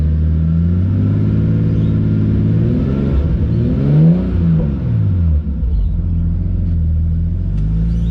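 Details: Nissan S14 with swapped RB25DET after new o-ring fitted: steady idle, clean throttle blip and smooth fall back to even idle with no stumble; running properly after repair.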